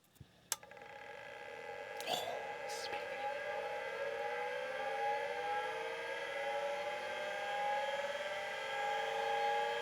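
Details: 1985 Plexus P/20 UNIX workstation hard disk, powered up without data cables, microphone right next to the drive: the motor whine climbs smoothly and settles, with no seek clicks; the platters spin but there is no head activity.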